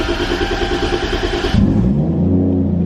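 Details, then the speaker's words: Toyota Supra with AEM Infinity engine management, started cold after the fuel pump primes: quick crank catches straight away and settles into a smooth, deep, even idle with good air-fuel ratios, normal cold start idle. "Woo. She sounds healthy, boy. Good cold start every time."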